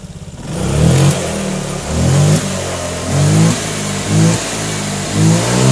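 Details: Honda Vario 125/150 injection scooter that had stumbled and refused to pull on throttle, after throttle body, air filter and TPS sensor were checked and cleaned; clean even revs climb and drop smoothly, no stumbling, normal revving.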